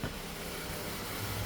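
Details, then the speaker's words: 2020 Ford Transit Connect idling after the repair, charging 13.6 V. It earlier showed rough idle and false overheating codes P1299/P017D, with the alternator LIN wire suspected of shorting. Now a steady, smooth purr with no misses: normal idle. "So, as you can see, it is purring. Now, we are charging 13.6."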